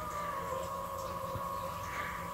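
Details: Electric water heater in a greenhouse heating system, fed by dumped excess solar power and running with about a six-degree water temperature rise: a constant high-pitched squeal holding one steady pitch over a quiet background; cause unclear.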